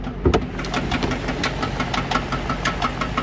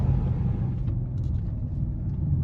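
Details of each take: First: 2012 Chrysler 300C engine idling with cam failure: light, rapid regular tapping, about five or six a second, over a steady idle; top-end tick from cam and lifter failure, car still drivable. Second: 2012 Chrysler 300C after cam and lifter repair, newly fitted Corsa exhaust, driven at full throttle: deep, smooth V8 rumble, no cabin drone, barely heard inside, all out the back; healthy exhaust note.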